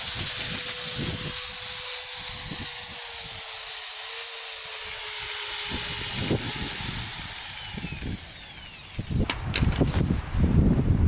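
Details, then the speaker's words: 1987 Yamaha Warrior 350, $200 restoration project, being turned over by a drill: the drill whine strains with slow, uneven thumps and no firing; the drill is too weak to spin it, and a new battery is needed. "guys it doesn't want to start up for some reason all right guys for some reason the drill isn't powerful enough now to spin over the warrior"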